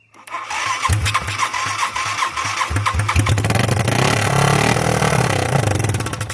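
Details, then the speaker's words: 1986 Yamaha YFM Moto4 200, first start after new cylinder, piston and rings, no exhaust fitted: catches after a few cranks, revs and settles into strong, even open-pipe beat, no knocking; healthy normal running. "Sounds good. It does sound good. Needs exhaust."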